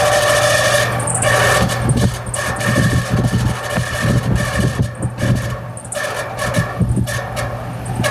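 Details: AC outdoor unit running: high thin screech over an uneven low rumble, suspected fan motor; noise persists after greasing the bearing, owner asks whether a new motor is needed.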